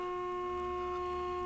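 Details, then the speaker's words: RCA 262 tube radio on the bench after replacing a burnt 1K resistor, with the second IF transformer peaked using an injected modulated tone: a steady, pure tone with clean overtones and no hum or crackle, louder; IF passing signal strongly. "Then we could do this one here. This is the second IF. It's definitely louder"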